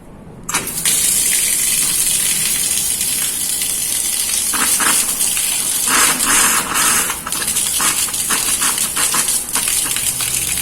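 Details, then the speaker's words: Household water pump after repair for weak, air-sucking flow: a strong, steady gush from the tap with no sputtering. Pumping normally, fairly strong. "Hai Dear ngangkat oke suaranya jenis suaranya juga sudah beda ya ini terdengar air keluar"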